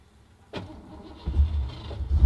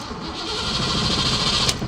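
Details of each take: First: 1987 Ford Mustang notchback race car, 5.0 V8: short crank catches quickly into a deep, lumpy, evenly building rumble with no knocks or rattles; normal healthy start-up. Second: 1987 Ford Mustang Fox body notchback, 5.0 V8, after being parked: a couple of seconds of cranking with fuel heard, but it never fires. Cause was a dead battery from a failed alternator; it was then jump-started.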